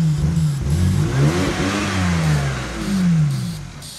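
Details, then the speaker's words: Non-running BMW, spark restored after a crank sensor fix: catches on sprayed brake cleaner, revs unevenly rising and falling for about 10 seconds, then fades; it won't run without the spray, so fuel isn't getting through. "Look at that, it ran for like 10 seconds. Woo! We got a run of BMW, boys. It just runs off a brake cleaner."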